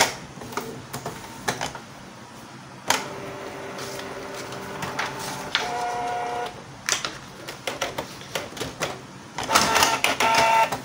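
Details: Canon IP2770 printer giving broken, shifted prints and paper jams: carriage moves in jerky, rough bursts of clicks and short whirs that stop and restart; a dirty encoder strip is upsetting carriage positioning.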